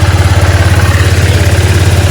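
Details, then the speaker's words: Honda Click 125i, about 4 years old, after replacing its 2-year-old drive belt; idles with an even low putter of about fifteen pulses a second, and the drive-side noise of the old belt is gone, no whine or rattle: normal idle. "Ayun guys, so hindi na maingay yung ano niya, panggilid. Gumaandar."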